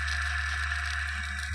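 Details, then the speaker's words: Washing machine spin motor reassembled with a used but better bearing replacing a cracked one: smooth, quiet hum with a steady whine, much quieter than before; a new bearing is needed for full silence. "จะเบานะครับตอนแรกนะครับดังยงแฮงนะครับอันนี้ก็เบาลงหลายเติบนะครับ"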